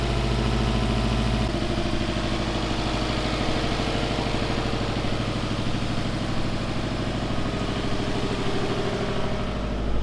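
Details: Rebuilt Subaru STI first start after fresh oil and new power steering fluid; steady, even boxer burble with no knocks or misses; normal idle, with smoke from an earlier oil leak burning off the up-pipe and a small exhaust gasket leak.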